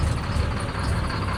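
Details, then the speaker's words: Caterpillar C7 ACERT diesel with power loss and strange noise, idling during a cylinder cut-out test: uneven, lumpy beat with a faint stumble, with cylinder 5 found not firing and its injector faulty. "El quinto escuchemos como la falla se ha quitado mal funcionamiento del quinto vamos a ponerlo otra vez trae un tipo de falla con el vector número 5"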